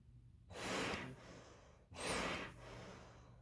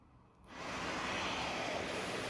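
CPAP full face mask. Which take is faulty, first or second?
first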